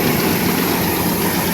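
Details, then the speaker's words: 1997 Suburban with 383 stroker V8, long unstarted, stone-dead battery jump-started with a portable power pack: steady, even idle with a rough, dense exhaust note and no knocks or misses; normal idle. "That's a good sound. Look at that. Freaking awesome. This truck hasn't been started in a long time, as you can hear."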